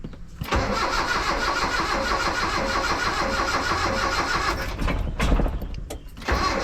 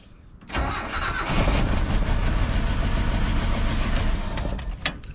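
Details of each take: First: Mitsubishi L200 with EFI conversion, fuel pump running: starter cranks steadily for several seconds without catching, and repeated tries won't fire; owner thinks the distributor was rotated the wrong way, giving incorrect ignition timing. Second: Mitsubishi L200 with 4G54 engine after EFI conversion, fuel pump test wire disconnected: brief crank, then catches cleanly and settles into a steady, even run with no misses or knocks; healthy start.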